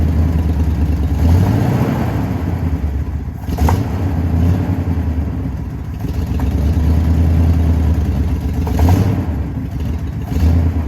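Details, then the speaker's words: 1979 Jeep J20 V8, dual exhaust, manual, sat a year with low compression: rumbles unevenly and stumbles on each rev, a chuggy, lumpy beat from weak middle cylinders that aren't pulling their share. "I don't know how well the camera picks it up but it's definitely chuggy or I don't know just has a bad Miss"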